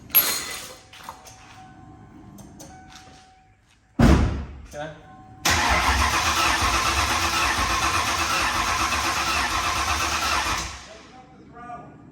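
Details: Built 5.0 just installed in a Mustang with BBK headers, fuel confirmed: long steady cranking for several seconds with no firing or catch; crank, no start with no spark.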